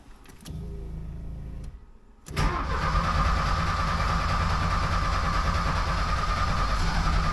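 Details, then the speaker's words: 1979 Porsche 924 after fuel distributor rebuild, electronic ignition fitted: short cranking burst, pause, then catches to a rough, uneven idle; hard starting, ignition timing suspected wrong, distributor to be turned. "Well, it just about went. I think I have the timing set wrong there."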